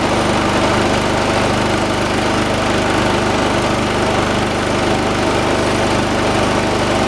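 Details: 1986 John Deere 216 lawn tractor, 16 hp single-cylinder Kohler, carburetor being adjusted: loud rough chug, uneven pulses, heavy shake; shaking considered normal for these engines; engine vibration.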